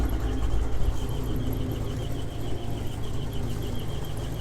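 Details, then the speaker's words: GMC 2500 Vortec V8, warm, idling with a sharp, high chirp about three times a second; not the belts, only when warm, seeming to come from the torque converter area; cause unconfirmed. "d run for a bit yet but this is this aggravating chirping noise that uh that i'm talking about and from what i've read on the internet it looks like a lot of other guys have had this problem"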